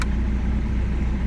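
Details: 2005 Jaguar X-Type after immobiliser fix, restarted instantly with no warning lights: smooth, steady low idle, even hum, no knocks or ticks; engine sounds tidy, normal idle.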